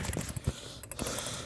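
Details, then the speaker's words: Bicycle wheel spinning: irregular dry clicks with no steady pattern, something catching; owner can't locate the source but thinks it sounds like the front axle; cause unknown. "It sounds like it's coming from the front axle or something or another. I don't know where it's coming from. It sounds like from the front axle."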